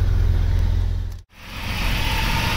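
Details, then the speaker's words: Irmscher-kitted Vauxhall Senator CD 3.0 24V straight six, parked since August for cutting out, winter day, after running several minutes: steady even petrol idle sitting a touch high, no stumbling; idling slightly fast, possibly confused, but no longer cutting out. "it's been running for a good few minutes now it seems to be idling a bit fast but then again it might be a little bit confused at the moment but it's not cutting out anymore"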